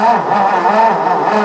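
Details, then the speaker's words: 1958 or 1959 Ford F600 grain truck, 330 V8, long unrun, fuel line off: steady rapid cranking with no firing, no gas delivered; fuel pump suspected, not confirmed. "nope we can't get any gas to come up and so maybe a fuel pump"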